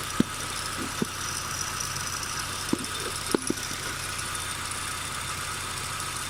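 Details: Nissan Micra K12 1.4 (CR14DE), 104,000 miles (166,400 km), at idle: even hum with a few sharp, irregular ticks from the front of the engine; owner unsure if timing chain or drive belt tensioner.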